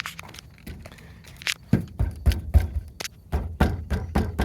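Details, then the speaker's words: 2024 Toyota Tundra tailgate, noted misaligned with uneven gaps, rattling on highway, washboard or off-road driving: irregular bursts of hollow loose clunks, several per second, like a panel slapping in its latches. "it just rattles and makes this noise so when you're driving down the highway or on like a a washboard Road or Offroad this will just Rattle and it's super annoying"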